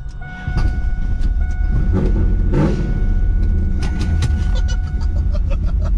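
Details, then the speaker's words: Trans Am, ignition control module suspected failing and barely touching ground, possibly flooded from cranking: loud, lumpy rumble with uneven pulses and a faint steady tone; rough running, misfire-like. "there we go she's not happy oh yeah she's not happy at all so i got the icm just barely touching the ground so i think that's probably why it's all pissed off right now"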